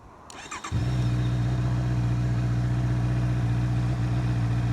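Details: 2025 Honda CB650R E-Clutch, 650cc inline-four with manual gearbox and automatic clutch, recorded from the cockpit: a quick crank catches at once and settles into a deep, smooth, even idle with no knocks or misses; normal start and idle.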